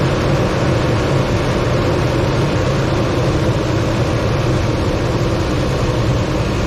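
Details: 2006 Toyota Tundra petrol engine, just started after replacing the battery: steady, even low rumble with no misses, knocks or squeals; normal healthy idle.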